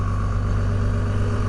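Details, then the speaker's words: 2002 Dodge Cummins 24-valve HO diesel, VP44 injection pump, six-speed manual: cold engine on automatic high idle (enabled at intake 32° or below and water 140° or below; 3-cylinder mode below about 15°), steady deep clatter with raised revs. "the requirements for high anal to enable is 32° intake temperature and below and 140° water temp and Below will cause high idle to enable automatically"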